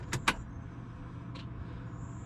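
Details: 2020 Polaris RZR 1000 XP after an All Balls fuel pump replacement: a couple of sharp clicks at key-on, then a faint, steady low hum as the new pump primes, with no leaks; sounds healthy.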